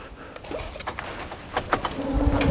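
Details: Ford/Mercury fuel system after reinstalling the fuel rail pressure sensor: a few light clicks at key-on, then a low buzz builds as the pump cycles and primes the rail normally, with no leaks.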